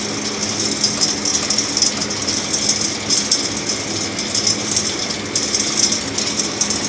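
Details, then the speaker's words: Axeman-Anderson 130 coal stoker heating a Mahoning 500 wood boiler, one week in, kicking back on and feeding coal from the bin itself: steady whirr with fine rhythmic ticking and rattle of coal; auger feeding normally, no draft or heat problems. "digging coal out of the bin all by itself it does cuddle like crazy when it shuts down it really pisses away"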